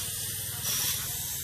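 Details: 1970s MGB GT turbo boost leak test, engine off: steady sharp hiss of pressurised intake air, swelling briefly midway, leaking past the injector seals, explaining why boost would not exceed about 4 psi; seals to be replaced.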